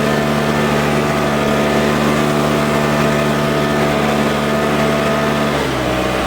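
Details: Troy-Bilt four-stroke backpack blower, started first pull with primer and choke, blowing dry grass: strong, even drone holding speed, easing slightly near the end, no misses or knocks; runs great.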